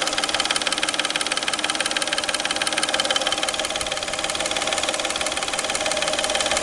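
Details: Peugeot 607 3.0 V6 at idle: a steady, sharp metallic ticking knock at about 220 per minute over the idle, from the timing belt (ГРМ) end of the engine. Engine knock, cause not determined.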